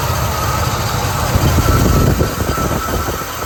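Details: 1978 Buick Electra after a carburetor overhaul, hot day, idle turned up half a turn twice, put in gear: low, lumpy idle that swells and sags as if about to quit; owner suspects ignition and considers a new coil, cause unconfirmed.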